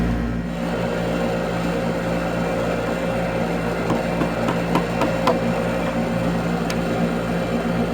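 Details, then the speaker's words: HVAC condenser running, low-side 74 psi, with a steady hum broken by sharp, uneven repeated clicking from the start relay, which looks worn out. "You can hear it clicking. Having some sort of issue in there. Yeah, pop, pop, pop, pop, pop. Looks like it's worn out."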